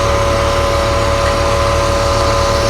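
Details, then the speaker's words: Bentley on a cold start, with the cooling fan oddly running (a temperature sender fault is suspected): a lumpy, uneven idle throb, as if not running on all cylinders. "I'll tell you something. It doesn't sound like it's running on all of its cylinders. Oh. Wow, that sounded bad."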